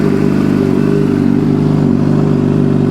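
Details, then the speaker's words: 2006 Suzuki GSX-R750 after transmission replacement, with clutch in, shifting up through all six gears and back to neutral. Steady engine note with no grinding and none of the earlier popping: normal gear shifting. "I don't know, I could put you guys down there, just show you I shit through all the gears, everything felt smooth. We had no noise like we did popping, frailing, all that crap."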